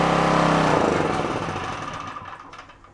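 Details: Onan K450 portable generator, yard-sale unit that sat a long time, cold first start after reassembly on choke, mixture not yet set: loud rapid chatter then sags and fades within three seconds, nearly stalling.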